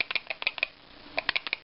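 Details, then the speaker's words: ABS dual-18650 box mod shaken: quick light plastic clicks as loose batteries hit the battery door, because the springs don't hold the cells fully in place. "rattle a little bit this the batteries coming and hit me door because these um these Springs don't hold it all the way just keep them from going anywhere"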